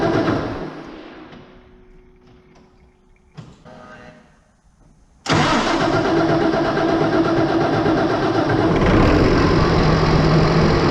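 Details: New Holland T8020 tractor with a Cummins 8.3 L diesel, first start after fitting new Bosch injectors: quiet at first, then cranks and catches cleanly at once into a steady, even diesel idle with no miss or knock; normal.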